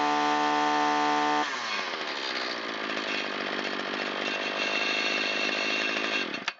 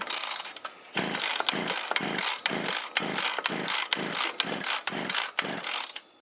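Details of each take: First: Shindaiwa T272X string trimmer test run after piston replacement and Walbro carburetor rebuild, on 40:1 mix at full throttle, half choke. Clean steady tone, then a crisp, even high-revving buzz for about five seconds. Normal running. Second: 25–30-year-old Shindaiwa T272X gear-reduction trimmer cranked with choke off at full throttle: fast, light pulls with no firing and zero compression. Partial seizure; rings damaged or stuck on the exhaust side of the piston.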